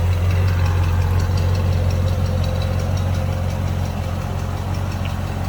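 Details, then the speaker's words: 1928 Marmon Model 78 Roadster inline-8, briefly warmed, recorded from the rear: low, even purr with steady beat, no knocks or misses; smooth, healthy idle. "Inline 8-cylinder, purring away."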